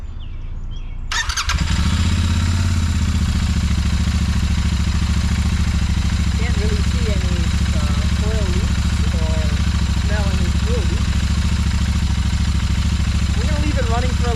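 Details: Royal Enfield Continental GT650 twin, just under 400 miles, at its first service, started after valve adjustment: starts cleanly and settles into a steady, even twin-cylinder idle with no ticking or knocking, running healthy.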